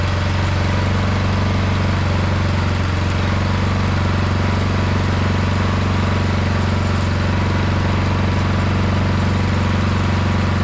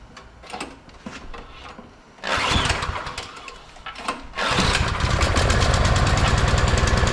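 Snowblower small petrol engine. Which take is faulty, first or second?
second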